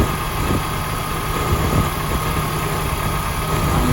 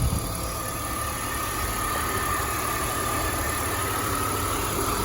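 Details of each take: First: 2005 BMW X5 idling, before repair: low, even growl with a faint constant hum from the A/C compressor pulley bearings; A/C itself works and blows cold. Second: 2005 BMW X5 after replacing A/C compressor clutch bearing and recharging the system, engine idling: steady even idle with smooth compressor hum, bearing growl gone; compressor sounds healthy.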